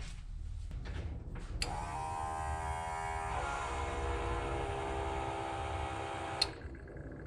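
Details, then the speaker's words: 1956 Chevy Bel Air with a newly wired electric fuel pump and relay, key switched on. A faint relay click, then a steady electric whir for about five seconds that stops; the pump is priming normally. "sounds like it works to me folks I heard that fuel pump turn on that's all I need"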